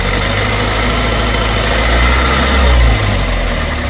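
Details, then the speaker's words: 2001 Toyota Corolla 1.8 idling low and uneven with stumble, P0301 cylinder 1 misfire; engine vacuum and injector okay, owner suspects ignition coil. "ne idea el motor ver pueden ver está bastante falloso"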